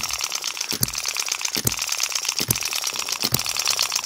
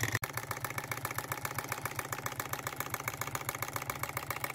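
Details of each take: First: Model hit-and-miss engine after moving the latch edge and slightly tightening the governor spring: sharp firing pops about seventy a minute over light clatter, latch barely moving, speed a little faster; governor latch barely engaging. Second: Miniature flame-fired engine after its first repair on a new lathe, burner set, running at preferred speed and then reversed: rapid even firing beat at one speed, stepping up briefly near the end. Smooth, normal running.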